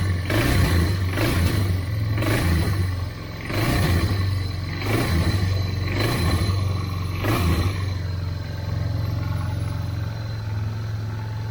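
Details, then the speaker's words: 1999 Yamaha Bear Tracker 250 ATV with replacement aftermarket carburetor surges and sags about once a second, then settles to an even run; fuel starvation stumble because the fuel valve was shut off, owner initially suspected clogged petcock. "but nothing like throttle maybe having a fuel delivery problem i wonder if the petcock stopped up"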